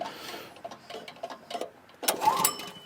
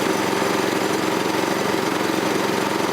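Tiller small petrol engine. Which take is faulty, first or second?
first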